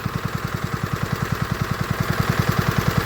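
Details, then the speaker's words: New Warton 8HP petrol water pump engine with recirculate valve back on, unloading: even steady low thumping about two and a half beats per second, smooth, nothing rattling; normal unloaded running, audibly different from loaded. "So the recirculate valve is back on and that's still going. And the only way to turn this off is that. Righto. Now it'll unload."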